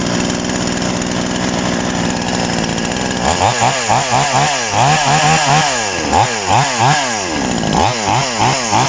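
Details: TOMITSU 5800-body chainsaw, after an initial screwdriver carb adjustment, air filter and cover off: steady two-stroke idle, then repeated clean blips to a high scream and back to idle; normal running.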